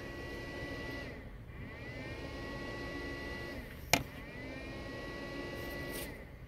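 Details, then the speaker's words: BMW E65 Logic 7 amplifier, left side of the trunk, with the car parked. A steady whirring fan hum with a faint tone dips away, then returns with a click, repeatedly. Cooling fan cycling on and off. "there is a fan and it's turning on and off and it's kind of annoying it does that for a while"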